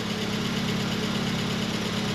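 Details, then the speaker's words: 1989 Volkswagen Cabriolet, first start after two years sitting in a field, mouse-damaged engine wire harness replaced: steady, even idle with a smooth low hum, no knocks or misses; great oil pressure. "it sounds like it's running fine it's got great oil pressure"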